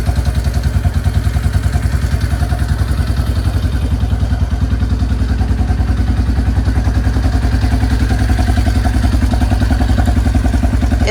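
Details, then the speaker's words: Yamaha Kodiak 400 4x4 ATV (1990s, owner guesses 1995), original carb, revived after sitting years with carb clean, new fuel lines and inline filter: steady unbroken single-cylinder thump about three and a half beats a second; running cleanly, normal. "Replaced all the fuel lines and put an inline filter in. And it seems to be running great."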